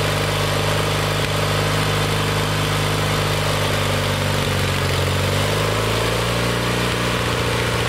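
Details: Kohler Magnum 20 after a carburetor rebuild, started with help from carb spray (fuel pump suspected weak). Steady single-cylinder idle with an even low thump; pitch settles slightly as the mixture screw is set. Runs smoothly.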